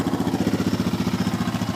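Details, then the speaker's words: 2001 Yamaha Raptor 660 single-cylinder quad with a closed airbox, idling: crisp, evenly spaced pulses of about thirteen a second, steady with no knocks or misses. The quad runs perfectly. "Quad runs perfectly."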